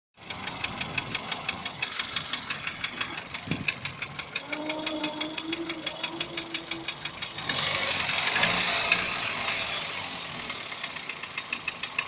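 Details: Daihatsu 1.3 turbo engine knocking: sharp, even ticking at about three per second over a steadily running engine; a knock from inside, cause unknown.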